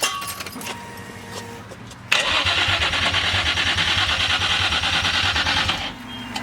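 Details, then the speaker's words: Built Nissan VQ35DE, first start-up after rebuild with fresh oil: starter cranks steadily about four seconds with no firing; fuel rail left untightened, leaking fuel; crank no start from fuel leak. "All right, so sadly, there's a big puddle of fuel down here and we can't check it right now, so tomorrow."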